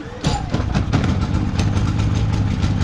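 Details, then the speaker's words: Predator 3500W inverter generator, economy switch off, restarted and set to run: catches on one pull and settles into a low, even, quiet putter with steady pulses; runs healthy. "So like I said, this thing is pretty darn quiet. You probably should have no problem hearing me on here."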